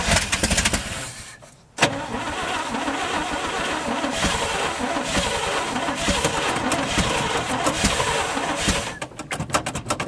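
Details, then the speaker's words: 1971 International 1890 plow truck, abandoned since 2001, carb rebuilt, float bowls filled, fuel line left off, first start in months: uneven starter churning for several seconds with no fire; not yet pulling fuel, owner suspects flooding or too little gas. "yeah need a little more gas in there or maybe I already flooded it hasn't started pulling fuel yet though"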